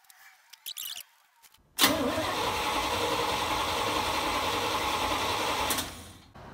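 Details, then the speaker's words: Engine with HEI distributor, internal ignition coil suspected bad, inline spark tester not lighting: steady starter whir for about four seconds with no firing; cranks but won't start, no spark. "so if this isn't lighting up when you're cranking the engine you're not getting spark"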